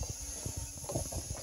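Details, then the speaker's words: Boost leak test on a Caterpillar 3406B diesel in a 1990 379, intake pressurised to 25 psi: steady high-pitched hiss of air escaping at a loose intake connection, over soft handling thumps. "but we got her charged up to 25 pounds in there and you can hear it coming through the block that's leaking but that's i mean that should be tighter but it's not that's an intake"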